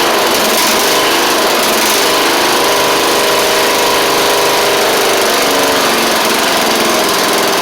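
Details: Troy-Bilt Pony mower after swapping its Powermore engine for a Briggs & Stratton flathead (new Briggs carburetor, 12.5hp air filter), run before pulleys refitted: single-cylinder at steady speed, even rapid firing, no misses or knocks; normal running.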